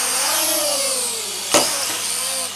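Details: Syma X3 quadcopter in flight: high, even whine swelling and dipping with throttle, all rotors smooth; motors running normally.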